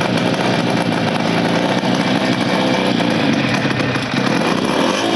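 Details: 1975 Motobécane Motoconfort 125 LT2 two-stroke, first start after restoration following engine failure in late 1990s, new crankshaft and gearbox bearings: steady crisp buzz holding an even idle, no knocks or rattles; normal running.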